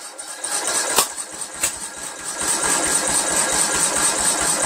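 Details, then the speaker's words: Craftsman lawn tractor with Briggs 17.5 HP engine that won't start: uneven chuffing crank at about two and a half turns a second with a couple of sharp pops but no catch; owner suspects the wrong camshaft is fitted. "I think we just simply have the wrong camshaft in there"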